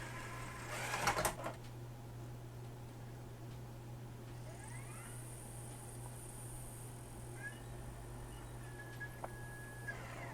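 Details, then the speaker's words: Magnavox ZV427MG9A DVD/VHS combo, after replacing a shorted 220uf 6.3v capstan motor supply capacitor and driver transistor: two faint high beeps over a low electrical hum as a DVD loads normally, meaning it's working. "it's loading okay it made the beeps that i want to hear the two little beep beep as it's loading normally if i hear those everything's going to be fine"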